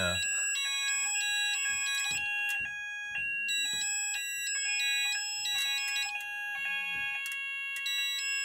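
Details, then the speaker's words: Haes Vector addressable fire alarm panel after hitting silence then evacuate straight after: sounders sweep through the same stepped high tone pattern together, no staggered overlap; system sounding in sync. "there we go we finally got it working"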